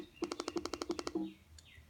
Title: Macbook air 2013 making weird noise